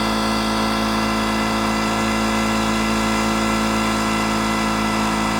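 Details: Detroit Diesel 8V71 two-stroke V8 from an old tour bus in deliberate runaway with water fed into the blower: sustained flat roar at very high revs; the water slowed rpm somewhat and kept it cool, no hydrolock.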